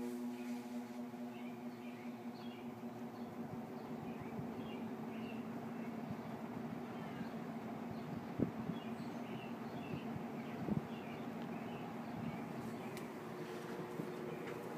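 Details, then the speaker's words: Kenmore Roll-O-Matic reversible box fan from the early or mid 1960s, 1/6 hp Westinghouse motor, just switched on in intake mode: a quiet, steady motor hum and even airflow hiss with no rattles or scraping. It runs normally. "I'll go ahead and turn it on. I guess I don't have it plugged in. So 1 second. That's on intake mode."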